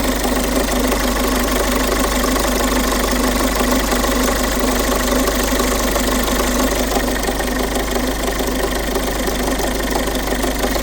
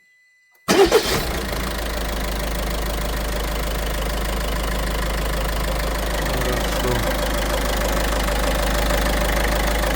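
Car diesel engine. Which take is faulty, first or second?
first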